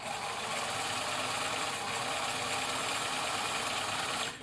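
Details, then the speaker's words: 1965 Bernina Record 730 sewing machine after belt tension adjustment (idler released to spring tension, screw retightened): steady, even whirr of the motor driving the machine at constant speed, no slipping or chatter; now driving as it should. "so we can see now that it's actually driving the machine as it should"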